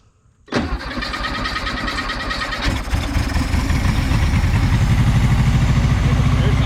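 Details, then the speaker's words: 1976 Volkswagen Beetle with 40 Ford kit, air-cooled, sitting for years, carburetor bowl filled by hand: it cranks rapidly for a couple of seconds, catches and settles into a rough, steady low idle; fuel pump suspected not working. "we filled the bowl of the carburetor up so engine theoretically should run if the carburetor is good"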